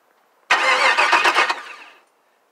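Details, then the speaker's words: Chevrolet Caprice LS-swap with factory standalone harness and PCM just connected, fuel lines not yet run: about 1.5 seconds of cranking with ragged half-fires, then dies; cranks but no start, no fuel supply. "we go see um I got crank a half fire so pretty much now I'm just waiting on my fuel to go ahead and start that"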